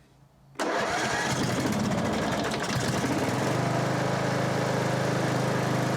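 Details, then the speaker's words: Sabre 1438 John Deere-built riding mower, first run after new valve, filter, plug and elbow: catches at once, uneven rough idle with loose rattling beat underneath; flywheel suspected loose, not confirmed. "It's, yeah, that sounds funky. The flywheel might be loose."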